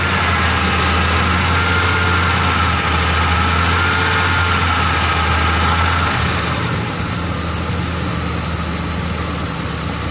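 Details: 1987 BMW 325es: a steady, even idle that sits noticeably high and never settles down; the owner says it can be lowered by pinching the vacuum line to the cold start apparatus.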